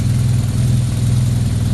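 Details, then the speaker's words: 2009 BMW R1200R boxer twin after a gearbox knock repair with new clutch disc, bearings, damper and lubricated splines. Smooth, even low idle with a steady pulse and no clatter. Throttle sync and stepper calibration are not yet done and are expected to make it smoother. "не делал этот синхрон после этого когда все процедур пройдут по будет еще мягче работает"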